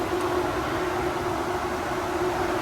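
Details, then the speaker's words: 1970 Chevy Nova with big-block Chevy, after replacing the failed water outlet O-ring with a paper gasket and RTV: the brushless Delta PG electric cooling fan runs with a smooth, even rush of air and a faint steady hum, no ticking or scraping; normal quiet fan operation. "can hear that how quiet that Delta pag fan is that's thing just rocks"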